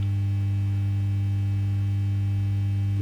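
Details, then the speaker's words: Fender Ultimate Chorus transistor guitar amp on the bench with a test speaker: steady low mains hum with a faint buzz on top. "okay we're in our test condition now uh ABS powered up I've got a speaker hanging on and we've got this nice low level Hub not horrible um you know noisy one we had"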